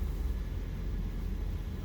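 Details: 2018 Toyota Prius hybrid after no-start from a dead 12V battery (rear seat, passenger side), jump-started: low steady even engine hum with no knocks, surges or stumbles; normal idle.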